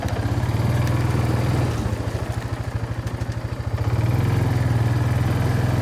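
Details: Kawasaki Bayou 220 barn-find ATV after carburetor cleaning, new battery, oil and air filters, straightened racks, rear right wheel bearing, seal and drum brakes: steady low thumping idle, even beats with slight dip and recovery, no knocks or rattles; running really good, no issues.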